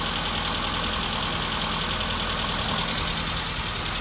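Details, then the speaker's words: Classic Mini four-cylinder running just after revival, following nearly two years of storage that seized the fuel pump. Busy, fairly even idle with light mechanical chatter over a steady engine note: normal idle. "so that's it guys up and running uh obviously a year of sitting didn't do any good for nearly two years sitting and uh managed to seize up our fuel pump"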